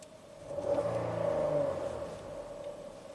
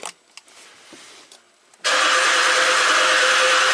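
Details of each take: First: 2017 Ford Explorer V6, 106,000 miles, after intermittent misfire and surging idle (suspected sticky oil control solenoids, fresh oil): brief swell in revs then even, steady idle, no surging or missing; seems fixed. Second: 2017 Ford Explorer V6, 106,000 miles, intermittent bank 1 misfire history, now crank no-start: steady fast starter cranking that never catches, no firing beats; exhaust cam found far advanced, jumped timing chain with cams out of phase.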